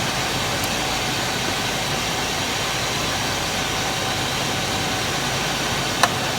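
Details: 2000 Chevy K2500 with the 5.7 Vortec and CSI injection, after reinstalling the distributor and setting timing to zero during a crank-no-start repair: steady, even idle with no misses, knocks or ticks; normal idle.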